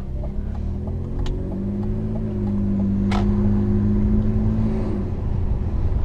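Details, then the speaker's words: BMW 323i with automatic transmission while driving: steady engine hum broken by a few sharp single clunks each time the brake pedal is pressed; owner attributes it to a loose control arm. Cause suspected, not confirmed. "you hear that that nasty ass clunking when i press the brake pedal that's that loose control arm"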